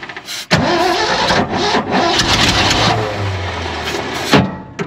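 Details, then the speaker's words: Abandoned 1970 Ford F600 U-Haul truck that sat about 30 years, start attempt: starter churns several seconds with a low labouring whir, engine never catches; cranks, no start. Spark questioned. "How come it's not like in the TV shows where it just starts right up?"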